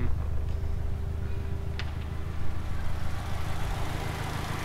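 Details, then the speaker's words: 2001/2002 Subaru Legacy BE5 Blitzen twin-turbo EJ20 boxer, 5-speed, 98,000 km, aftermarket exhaust, engine warm, heard at the exhaust: smooth, even, deep idle rumble with no knocks or misses; back bumper rattles slightly; normal idle. "back bumpers rattling a little bit as if you hold it here it stops rattling so you can hear that nice boxer Rumble"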